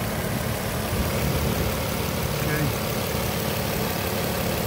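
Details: 2007 Nissan Altima SE sedan, 3.5 engine with 6-speed manual, came in running and driving; steady, even idle hum with no miss, knock or tick, engine idling cleanly, normal idle.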